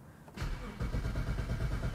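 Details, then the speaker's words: 2010 BMW 535i xDrive E61 wagon: steady starter cranking with no catch; rail pressure only about 1200 while cranking and tank sensors read near empty, so it is likely out of fuel. Cranks but no start. "if it uh cranks and starts I have my major doubts here it does not"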